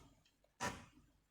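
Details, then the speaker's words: Amiga 1200 audio menu sound effect: just one faint short pop where the effect should play, then quiet; music crunchy. Distorted audio traced to a missing -12V supply rail, not the capacitors. "we got the music I mean again like very incredibly crunchy doesn't sound right does it"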